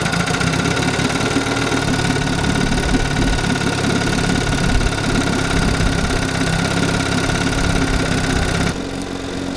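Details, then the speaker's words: 1952 Johnson Sea Horse 5 hp outboard (TN-28) after points, coils, condensers and carb work, earlier running on one cylinder: steady even run with smooth firing beat, no misses; disconnecting a plug lead confirms both cylinders fire. "see if it's running on two and yes you can definitely hear a difference when i disconnect one but it continues to run so we know both cylinders are firing"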